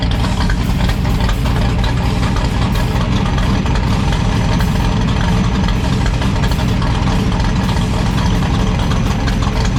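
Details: 1972 AMC Javelin race car with aluminum-rod AMC 401 V8, stopped on the street after a suspected noise and after retightening loose header bolts, checked with a stethoscope: loud, steady, even lumpy idle with no knock or tick; sounds healthy.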